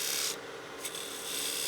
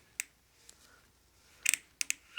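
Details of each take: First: I don't know if you can hear that sound but that's too much bevel contact so I need to go a little lighter on the bevel pressure Second: all right so that's a good fit if you go to twist it and it sounds like you're crunching snow that's a good fit it's not too tight it's going on and it's seating well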